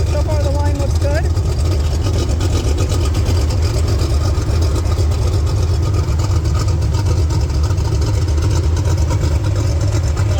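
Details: Turbocharged Pontiac 400 V8 in a LeMans, idling after a roadside repair of a blown turbo oil feed line while checking for oil leaks: deep, steady rumble with an even beat, no misses or knocks, and no leaks found.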